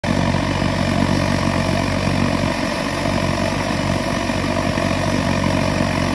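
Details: Svea 16 kerosene stove, probably WWII-era, with a replacement flame ring fitted: a loud roaring burner with a throbbing pulse of a few beats per second over a steady hiss; the flame ring is too tall, and a shorter one cures it.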